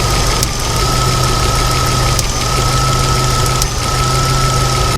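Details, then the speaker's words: 1995 Jeep Wrangler YJ 2.5L four-cylinder, before repair: a steady idle with an occasional stumble and faint pop; a misfire the owner suspects is the camshaft position sensor in the distributor, to be fixed with a new distributor, coil, wires and plugs. "And it's got a little bit of a misfire though. And that's what I'm tracking down hopefully to fix."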